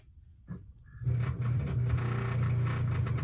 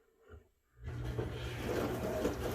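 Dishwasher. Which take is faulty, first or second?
first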